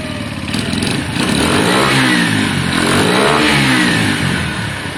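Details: Motorcycle, likely the Lexmoto Valiant, warming up after it died on low battery and cut out when revved. It now climbs smoothly from idle through clean revs and settles back, with no misfire or rattle. Normal idle and revving.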